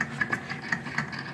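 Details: Daewoo refrigerator: faint irregular ticking, a few light clicks per second over a low hum from the evaporator (cooling) fan motor, cleaned a year ago but noisy again; noisy refrigerator fan motor.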